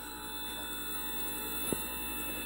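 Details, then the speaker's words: Currie Electro Drive brushless e-bike hub motor after rebuild, 3 of 4 rotor magnets had detached: in controller learn mode, unloaded, quiet smooth steady hum, no scraping or knocking; sounds much better than before. "so a little look at that hopefully it'll work well that sounds a lot better than it did before"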